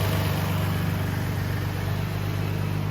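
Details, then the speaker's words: Nissan 350Z with stock VQ V6 idling during power steering bleeding: quiet, even idle with soft steady hum, no ticks, knocks or stumbles; engine running healthy. "Honestly surprised this motor sounds so good. I mean, I shouldn't be surprised, right? It's a stock VQ, but man, like, quiet."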